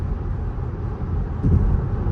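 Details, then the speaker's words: VW Tiguan cruising at 70 mph after new transmission and front left wheel hub replaced to cure noise, vibration and rough shifts: only steady low road rumble, no drone, whine, vibration or ticking; normal highway cruise. "Exactly what sounds? There are no sounds, guys. This thing sounds absolutely amazing."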